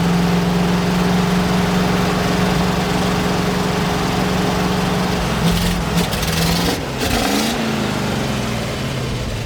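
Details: 1975 GMC C6000 350 V8, first start in 10 years, after a mouse nest was cleared from the exhaust. Idles with an uneven, lumpy beat, then a throttle blip. Rough running; a weak fuel pump is suspected, not confirmed.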